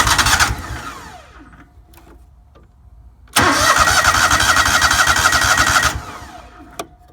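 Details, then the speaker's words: Lawnmower being winterized, cranked with choke on in stages after the tank was refilled with ethanol-free TruFuel; two long bursts of starter whirring about four turns a second without catching because the fuel lines are dry and still filling. "so now get the choke on probably take a couple cranks to get this going I don't want to burn out the starter so we'll do it in"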